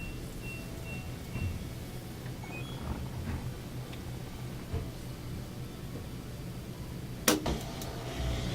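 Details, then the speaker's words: LG washer with OE error after drain pump replacement, drain and spin test: low, steady pump hum and drum movement with no grinding or rattle; runs normally. "I'm just putting a little water in there to test it further but it's it's doing great"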